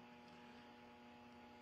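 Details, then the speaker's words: R5000 receiver at dusk, LED street lights not yet on, neighbours' Christmas lights just switched on; steady hum with sharp tone near 230 Hz and hiss, interference buzz suspected from the LED Christmas lights. "now I am getting a wicked home and Buzz in the background so I just do a quick look outside and Christmas leaks are on"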